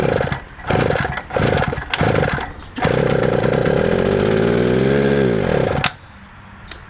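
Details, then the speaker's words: Shift Kit mud bike with Chinese carburetor, primer not getting fuel until owner blew in hose, throttle held open: several coughs, catches and runs hard about three seconds, winds down and dies as if fuel-starved; carburetor suspected, unconfirmed. "Yeah, so carburetor quit carbureting."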